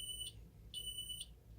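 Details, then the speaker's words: Ademco 6128 alarm keypad arming to away: high-pitched exit-delay beeps come out uneven, with longer gaps and some longer beeps, a fault in the keypad itself, not its power; faulty keypad sounder. "You can hear that the piezo kind of stutters a little bit with its timings. You can kind of hear some longer gaps and a few longer beeps as well."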